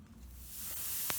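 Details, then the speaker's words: Picnic gas stove after refitting the counter-clockwise threaded fitting: soft hiss swells as the valve opens; gas flows freely. "แล้วเราก็ขันให้แน่นขันให้แน่นเสร็จลองเปิดดูจะมีเสียงซ่าแก๊สออก"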